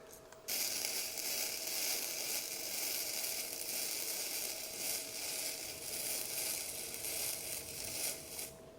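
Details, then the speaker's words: Bestarc gasless flux-core MIG welder lowered to 70 amps. Steady, even crackle and sizzle with no popping or sputtering: a smooth, stable arc that works beautifully, though 70 amps later proved slightly cold for this steel. "And that just works beautifully. Down that lower amperage, that is beautiful."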